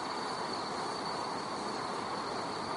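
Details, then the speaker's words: LPG firefighter training prop with a tank pressure relief valve venting gas: a constant rushing roar with a thin, high whistle on top, likened to a jet engine, as gas flows out until the valve resets. "you could probably hear the whistling sound of that relief valve i have personally been on fire it's very similar to this that it actually sounded like a jet engine and it was very loud"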